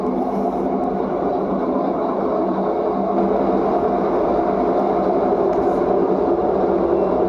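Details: LG front-load washing machine during the spin cycle: a steady whirring drone with a rough, buzzing vibration under it, the drum shaking more than it should. Vibration noise during spin.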